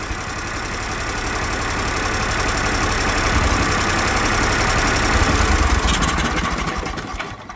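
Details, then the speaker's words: Briggs Vanguard repower in a Kawasaki Mule, shut down by grounding the yellow kill-switch wire: it runs smooth and steady, then cuts out cleanly and winds down within a second, confirming the kill switch works. "Yeah, that's our kill switch. Okay, so we know that works."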